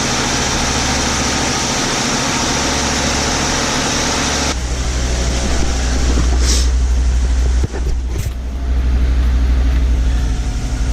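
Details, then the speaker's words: 1994 Audi 80 first started after cooling-system and dash reassembly, coolant system filled with water only: steady low idle with an even hum, some handling knocks over it; engine starts and runs smoothly. "but there we go, it's in, dash is in, it starts, it runs. Why wouldn't it?"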